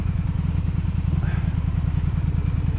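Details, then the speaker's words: 2002 Honda Magna VF750C V4 during a rebuild, warm and idling in neutral. A low, even putter firing regularly with no misses or knocks. It runs well out of gear but died last time when put in gear. Normal idle. "Alright, I think it's warm enough. We're about to find out. It runs good whenever"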